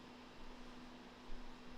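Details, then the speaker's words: Dead Macintosh TV on 240 V with self-setting power supply: steady low hum and fan hiss come up, but no startup chime and no screen image; powers on without booting, owner suspects slow PSU, unconfirmed. "all right we get the hum and the flip which is normal let's go okay no chime i think it's doing the same thing"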